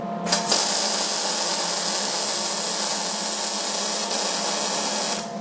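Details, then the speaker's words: MIG welder laying a bead on square tubing for a coat rack with forged hooks; even, unbroken frying crackle for about five seconds, no pops or stutters, judged a very good sound; steady, well-set MIG arc. "Same deal. That sounded very good. That's a good sound."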